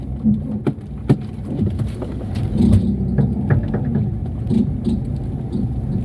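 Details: Chevrolet Cobalt on a test drive after the cylinder head refit: irregular sharp clicks over a low drivetrain rumble during slow manoeuvring from worn CV joints. Both are to be replaced, and a wheel bearing is also humming.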